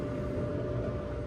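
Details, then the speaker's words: Samsung dryer running after lint cleared from the blower fan that caused loud vibrating and rattling; smooth steady hum and airflow with no rattle, knock or vibration; normal running after repair. "Oh yeah. That sounds a lot better. As you can see, everything's turning and running like it should. And our noise is gone because we don't have that lint throwing off the fan while it's trying to spin."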